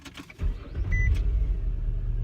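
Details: 2002 Nissan Altima 3.5 SE V6 with a stutter on hard acceleration and one ignition coil already replaced, starting up. It catches and settles into a low, uneven putter with a wavering idle. Rough idle, cause unknown.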